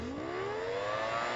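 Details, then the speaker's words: Sanyo Denki 48 V 10,000 RPM 60x38 mm cooling fan on an automatic temperature-based fan controller being heated toward its 55 °C alarm threshold: smooth whirring tone climbing steadily in pitch as the fan spins up; clean, normal ramp-up. "you can hear the fan speed accelerating there you guys go that will turn off in a second as soon as this cools down"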